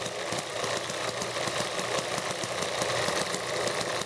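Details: Horizontal and vertical small engines belted together, handheld close-up; crankshafts differ so the flywheels don't align, and the horizontal engine is loose on its base: rapid chuffing with occasional thumping fires as the faster vertical engine overdrives it.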